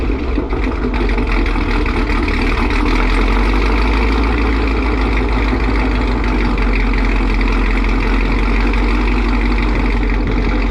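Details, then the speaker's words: 2018 Chevrolet Camaro ZL1, supercharged LT4, new long-tube headers after a header gasket exhaust leak was fixed, warming up: loud, deep, steady V8 idle with no ticking at the headers; exhaust sealed, normal idle. "yeah that's the sound at idle we let it warm up a little bit give it a few little revs it is abnoxious just crazy"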